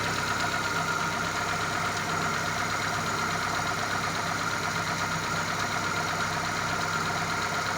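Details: Daewoo Lanos 1.5 after repair, with the timing belt and alternator belt re-tensioned: a steady, even idle with no knocks or ticks. The engine runs quietly and sounds healthy.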